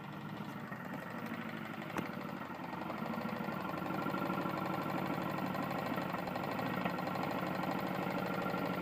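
A steady, hard metallic knock of about three per second hammers through the small engine's run, pointing to a badly worn connecting rod.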